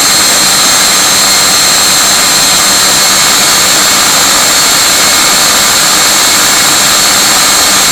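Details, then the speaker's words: Viper 11 90 mm ducted fan on a Starmax 39 mm inrunner motor, initial test run: steady high fan whine with a fluttery, flapping edge around 2300–2400 rpm, owner suspects blade tips; cause unconfirmed. "this is the weirdness this fan does so I haven't even run it up to high speeds yet that you hear that weird fluttery noise it sounds like it's coming off the tips or something"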